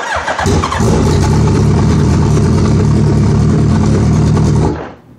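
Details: Suzuki Hayabusa: starter churns briefly, engine catches roughly, runs about four seconds and dies; hard start, owner says fuel pressure drops as the bike spins over to start, cause unresolved.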